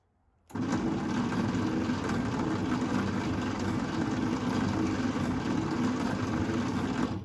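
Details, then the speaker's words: 1952 International Harvester L112 engine, not run in decades, cranked for a compression test on cylinder 2: slow, uneven cranking with weak puffs; about 15 psi versus 30 psi on cylinder 1; low compression. "But I'm going to turn it over. You can actually hear that it's moving faster, which is a good thing. Still not sure if it's as fast as it should be moving, but let me see if I can show what I'm getting for pressure on cylinder 2."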